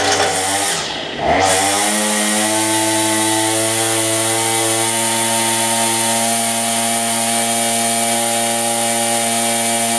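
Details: Cheap two-stroke weedeater after a new carburetor kit and line refit: blips, then settles into a steady high buzz with even pitch and no surging; running properly.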